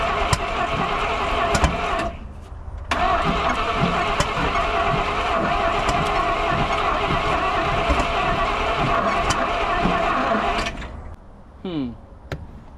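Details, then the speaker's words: 1971 Chevrolet M705 4x4 military truck, not run in years, spark verified and carburetor newly fed fuel: steady cranking with sharp pops backfiring out of the carburetor/intake; plug wire order on the distributor or firing issue suspected. "This thing sounds like it's popping directly out of the intake while I'm cranking."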